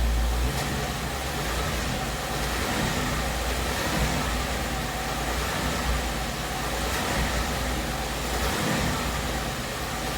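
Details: 2017 Ford Mustang GT 5.0 V8 at about 10,476 miles: steady engine hum with a faint, uneven knock underneath at roughly four per second, heard between 1000 and 1500 rpm. It began as a light tick around 7.5k miles. Ford calls it normal and the owner disputes this; cause unconfirmed.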